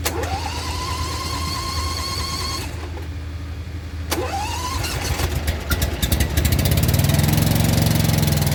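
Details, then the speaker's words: Dixie Chopper 60-inch zero-turn mower with electric PTO, firing on one cylinder: engine runs then sags and labors when blades engage, revs dropping; owner suspects throttle stuck low from broken throttle cable. "i just turned on the blades and there wasn't enough in the motor even crankers so i have a feeling that the throttle is just all the way in the low position"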